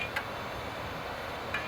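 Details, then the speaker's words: Compaq Pentium II MMX computer with a 3.2 GB hard drive at power-on: two sharp, faint clicks about 1.5 seconds apart over quiet hiss while the drive spins up; owner suspects the hard drive is bad. "making some bad noises. I'm pretty sure the hard drive is bad, okay? Yeah, those are not the kind of noises you want to hear from a good working hard drive."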